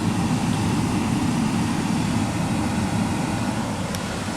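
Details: 2015 Ford Fiesta SE at idle with the AC on, just after a cabin air filter change: steady, even rush of air from the blower with no rattles or ticking; the blower fan runs smoothly and nothing blows out of the vents.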